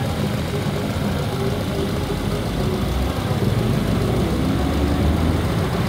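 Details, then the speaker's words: Engine at idle with codes P0171 (lean) and P2101 (throttle actuator), short-term fuel trim +34%, whole car vibrating: heavy, uneven, lumpy idle; large intake vacuum leak, later confirmed with smoke machine. "Tal parece que se oye una fuga de vacío de este lado"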